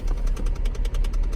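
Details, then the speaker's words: Cadillac with air not flowing out of vents; quick even clicking from behind dash, roughly eight per second, over low steady hum; blend door actuator box broken inside dash, slipping gears. "as you heard by the clicking the blend board box is bad inside"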